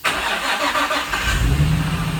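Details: Nissan 350Z after a complete engine rebuild using Murano parts to cure a knocking engine: short crank, then the engine catches cleanly and settles into a smooth, even idle with no knocks or ticks; a healthy start before the first test drive.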